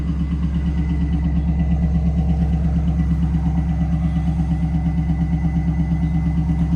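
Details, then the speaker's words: 1998 Pontiac Trans Am that ticks at cold start until warm: a steady warm idle with a slight uneven lope about three times a second; owner suspects a slight miss but isn't sure. "Sounds like it might have a slight miss. Not entirely sure."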